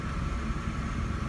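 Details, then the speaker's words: 1997 Mercedes SL 600 V12 after new spark plugs: deep steady rumble, no stumble; the judder present before is gone, normal idle. "It had a little jutdder before, which is not normal for a [Music] V12. Sounds good."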